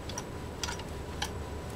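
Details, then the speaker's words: Minnesota Model C Sears vibrating-shuttle sewing machine, hand-cranked while sewing after tension adjustment: light, even ticks about every half second, quiet, no knocking or grinding; runs smooth and healthy. "It also runs quiet. I mean, just listen to this machine running. It does a beautiful job."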